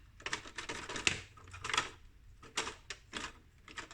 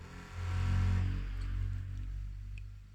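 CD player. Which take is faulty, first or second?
first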